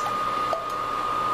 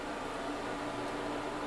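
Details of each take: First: New Little Giant VCM-15UL AC condensation pump, replacing a cracked unit that had leaked, running after filling with water: quiet steady hum with thin constant tone, no rattle or gurgle; normal pump running. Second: Furnace/AC condensation pump with a cracked basin, water leaking around the coils: small motor hums steadily at a low, even pitch for a few seconds after the float rises, then stops as water flows back; suspected failed check valve, pump being replaced with Little Giant VCM-15UL.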